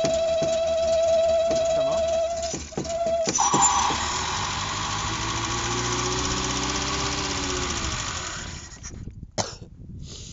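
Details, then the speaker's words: Revived Renault 4 (F4) wreck engine at idle: thin steady whistle over uneven running fading into the rumble; air leak suspected, source not found with cleaner spray, carburetion poor, but no mechanical noise. "Ce bruit de sifflet là, qu'est-ce que c'est? Je sais pas d'où ça vient. C'est dingue quand même."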